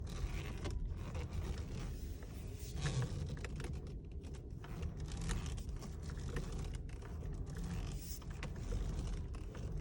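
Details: 2018 VW Passat B8 steering wheel turning: irregular plastic clicks and creaks from broken clock spring.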